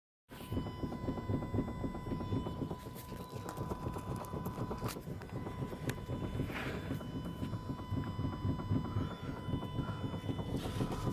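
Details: Renault Clio 172 driving: rapid, uneven low clunking from the front end caused by a worn inner tie rod knocking.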